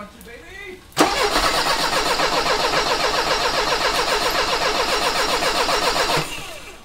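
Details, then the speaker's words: 1985 Mercedes 190E with KE-Jetronic injection, fuel accumulator replaced, idle control valve checked, fuel pressure set to 3.5: fast even cranking for about five seconds with a few faint catches that never run. It very nearly starts but does not fire. "all right well that was close that was very very close"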